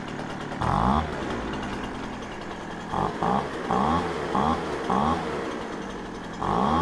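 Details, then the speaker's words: Poulan Pro 25cc leaf blower that started then stalled, after carburetor and fuel system repair, warming up in a cold shop: even two-stroke idle buzz, quick blips rev cleanly and return without stumbling; healthy. "well that sounds pretty pretty darn good to me"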